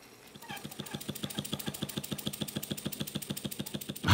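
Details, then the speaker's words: Handmade model steam engine, boiler heated by a converted camping stove, belt-driving a generator for a model radio station: crisp, even chuffs about eight a second, steady and clean with no knocks; normal running. "It's making a lot of steam and powering the model of a historic radio station."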